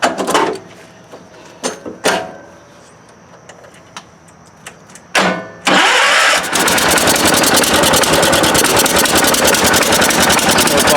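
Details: 1971 John Deere 140H3, Kohler K321 single, after carburetor rebuild with new float (was pouring fuel), choke on, throttle halfway: quiet clicks then quick catch into steady even idle, no misses; healthy start.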